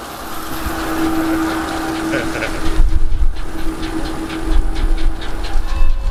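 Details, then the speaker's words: Strasburg Rail Road train with N&W 475 steam locomotive, heard under the cars: low rumble with steady tone, then irregular creaks, clanks and hissing as the crew performs a routine air brake test; normal. "the creaking and hissing that you'll hear under our cars is the sound of the train crew performing a brake test the brakeman checks the brakes on the last car and passes signals up to the engine crew at the head end of the train"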